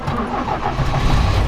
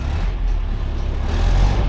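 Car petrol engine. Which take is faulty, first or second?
first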